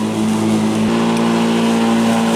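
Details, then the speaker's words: Black & Decker battery mower, third year of use, around early August in thick grass, running on OEM cells the owner replaced inside the old battery case: steady, even motor hum and smooth blade whir holding pitch; running healthy. "so you know it's around the 1st of August the grasses in the stick I think as it was last time but it's running great the OEM batteries that I replace myself in the old battery case seemed to work just fine"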